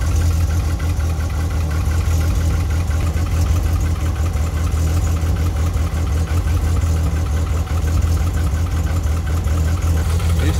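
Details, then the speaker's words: VW Kombi with the bad, damp spark plug cables (the third and fourth cylinders' were worst); the plugs were fine. Now a deep, even idle with a steady low thrum and no misses, smoothed out while warming up. "e como ficou parado esses dias aí eles estavam meio úmido sabe E aí fica ruim mesmo mas ela já emparelhou tá ótima já"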